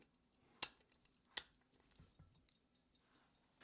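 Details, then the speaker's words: Grandfather's 100+ year old pocket watch in a 14k BWC case, just wound after decades in a drawer, case back opened; faint quick light ticks of the balance at a steady beat under handling clicks, running normally. "okay so the watch is still ticking can you hear that"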